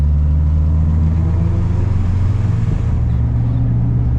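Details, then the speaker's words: Integra work truck on a test drive after swapping in a new transmission for earlier transmission noise (pilot bearing suspected); steady low engine drone with no whine, knock or grinding, much quieter and smoother; quiet, smooth drivetrain while driving. "il est maintenant beaucoup plus silencieux. Il se déplace si facilement!"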